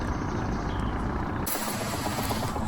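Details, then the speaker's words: Ronseal battery power sprayer after clearing a blockage, test-filled with hot water and bleach: steady buzzing pump motor drone with air in the line, turning hissier and fuller as water comes through; primes and works normally. "You can hear the pump going, but there'll be a lot of air in it."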